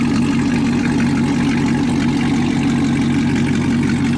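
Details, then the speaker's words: Chevrolet Camaro ZL1 V8 with an even, steady idle rumble, no skips or misses, firing on all cylinders after a damaged spark plug was replaced. "damn there's running normal bro get back finally back oh my God"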